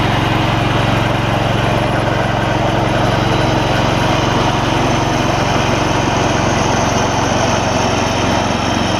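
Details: Old Gravely 16 Professional walk-behind mower, sat a while, formerly frozen mower deck now freed and working: steady, even drone with blades spinning smoothly, no squeal or knocking; deck runs normally, belt longevity uncertain.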